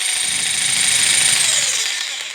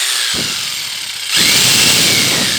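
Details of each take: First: Bosch PST800 PEL 530 W jigsaw rated for 220-240 V, run on 115 V: high, buzzy motor whir with a rough edge slows and winds down; struggles on too low a supply voltage. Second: Bosch PST800 PEL 530 W jigsaw running on 240 V: a steady high-pitched buzz holds at full speed through the cut with no bogging or stutter; the jigsaw cuts normally.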